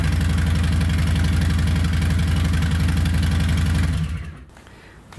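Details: 2020 Harley-Davidson Softail Street Bob with newly installed Two Brothers Racing 2-1 Shorty Turnout stainless exhaust: deep, loud, lumpy idle with a steady uneven beat before shutdown; louder and deeper than stock, engine running fine.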